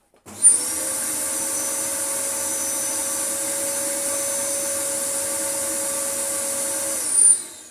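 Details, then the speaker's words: Dyson DC14 vacuum with new non-genuine non-clutched brush roll: motor spins up to steady shrill whine at one even pitch; owner doubts it is the motor, brush roll suspected, nothing definite. "What I suppose we could do though is turn this back on without the brush roll and check it isn't the motor, but it doesn't sound like the motor, I'll be honest."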